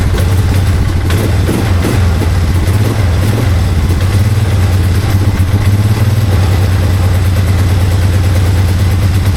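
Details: 2001 Polaris Sportsman 500 HO after fixing the no-spark by powering ignition from the battery (CDI/stator bypassed): deep, steady single-cylinder thump at a fast even idle, running well, though the key won't shut it off and fuel is leaking.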